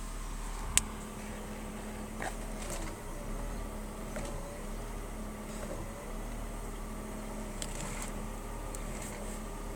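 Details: BMW E36 320i with a new MAPCO power steering pump: a steady thin whine over the idle that increases during steering, and persists after several fluid changes.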